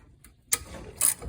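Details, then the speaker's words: 1963 Ford Falcon Futura, 170 inline-six, parked 25 years: the removed old water pump, turned by hand, gives brief gritty ratcheting scrapes. The bearing is shot, and the pump had been leaking coolant. "Hear that bearing shot. It was leaking around here and water was coming out."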